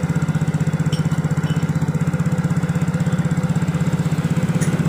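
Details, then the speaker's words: Yamaha Mio J scooter after the fix: steady, even single-cylinder idle at about four pulses a second; the clattering knock is gone, caused by a loose, under-tightened spark plug. "Nyalakan dulu nah dan suara Cloud roknya sudah hilang guys ini mesin sudah kembali normal adem jadi penyakitnya ini gara-gara businya kendor kurang kencang"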